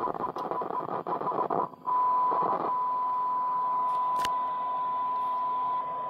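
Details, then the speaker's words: German WW2 Funksprechgerät f radio receiver under repair: scratchy crackle while the volume control is worked, then a steady high whistle over hiss, as radio stations are picked up because the ground terminal is not connected inside the radio. "since ground is not connected it picks up radio stations"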